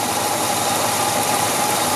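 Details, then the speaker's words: 1966 Chevrolet Caprice 396 big-block V8, heard from outside: even, steady exhaust rush with a faint constant tone and no knocks or misses, exhaust slightly louder than a T-Bird's; normal idle. "Elle fait un petit peu plus de bruit bien sûr que la T-Bird, pas au niveau moteur au ralenti bien sûr,"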